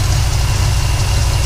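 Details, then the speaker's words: 1972 Chevy C20 V8 truck idling under the hood after warming from a cold start, idle now pretty much normal: deep, steady rumble with an even beat and no stumble or tapping; runs real smooth. "so as you can see like i said here it runs real smooth"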